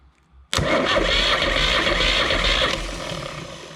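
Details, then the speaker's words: 30 hp Deutz two-cylinder diesel on a homemade log splitter, starter bumped: a sudden loud churning as it turns over and fires, staying strong for a couple of seconds. Normal cranking and starting. "that sounds like it's going to work for us"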